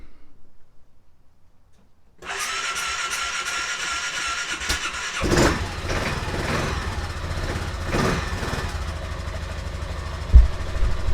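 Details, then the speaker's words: Aprilia Atlantic 500 scooter, not run in over ten years, first start after cycling the fuel pump. Quiet, then it cranks, catches and settles into a low steady, clean idle, with fuel spraying from a leak. "we have liftoff we have fuel leakage here no surprise"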